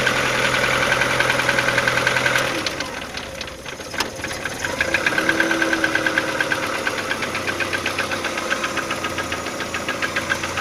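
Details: Audi 80 B3 1.8 at idle: steady, sharp knocking about three to four per second that tracks engine speed; engine knock of unclear origin.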